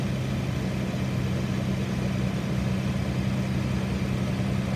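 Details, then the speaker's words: Engine idling; smooth, even low hum with no knocks, misses or ticks, rock-steady: normal healthy petrol idle. "so it does sound pretty good"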